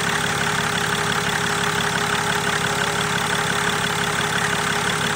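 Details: BMW 5 Series E61 six-cylinder common rail diesel idling during an injector backflow test: steady idle with an even clatter about three beats per second and no stumble or misfire; injectors working okay.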